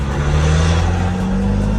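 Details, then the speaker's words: Lexus GS300 with JZ engine converted to a CD009 manual via adapter plate, fluid not fully warm and cheap: steady low drivetrain drone with a constant whine while cruising; the transmission is especially noisy. "The whole fucking drivetrain is pretty noisy, as you can barely hear my voice. But especially the trans, and it makes a bunch of noise."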